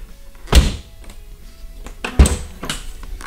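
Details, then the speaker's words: Tesla Model 3 tailgate closed twice after deadening with Kilmat 50 and fireproof fabric: two deep, short, dull thunks, not tinny, almost like a German car. "almost like a German car this sound is way better"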